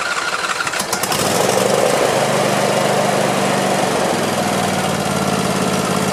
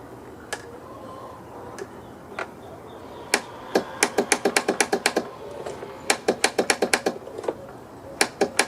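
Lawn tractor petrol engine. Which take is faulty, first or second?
second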